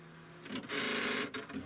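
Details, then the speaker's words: Brother WP25 daisy-wheel word processor at first power-on: the 240K 3.5-inch floppy drive whirs and rattles unevenly for about a second, then quiets, and the display says backup memory cleared; owner suspects a broken floppy drive belt. "it seems to come to life and make some strange noise that doesn't sound right and it says the backup memory is cleared I suspect the belt is broken in the floppy drive"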